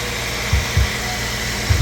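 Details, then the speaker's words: 2002-06 Nissan Altima 2.5L after replacing a worn, noisy serpentine belt: even idle hum with no squeal or chirp from the belt drive; noise gone. "Okay, now let's start the car and make sure there's no noise. As you see, no more noise."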